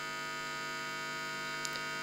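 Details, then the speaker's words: Rebuilt organ amplifier converted to hi-fi circuit: loud constant buzzing hum, worse at higher voltage, possibly 50–60 Hz; thought to be filament supply, though cause unconfirmed; amp otherwise working with no leakage; mains hum. "this sounds like filament more than anything but hey it is alive it just bosses a lot"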